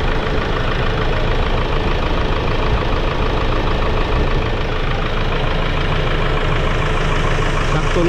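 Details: Hyundai Grand Starex diesel after repair: smooth, even idle with a steady low rumble, no grinding or humming at the front, pulleys sound healthy; grinding noise solved.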